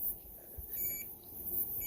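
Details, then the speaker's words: NANOVA D1 portable mini dishwasher, powered on without enough water inside. A couple of short, thin high beeps warn of the low water level and stop once water is added to the right level, after which the cycle starts. "Vous entendez le petit bip? On va mettre de l'eau, ça va s'arrêter."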